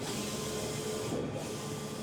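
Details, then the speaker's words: Cobraflex King Cobra commercial DTF printer on its daily startup test print, beginning the white layer: steady, even hiss and hum from the print carriage with no knocks, grinding or stutters; normal printing. "Now, you can see it's proceeding to start printing the white."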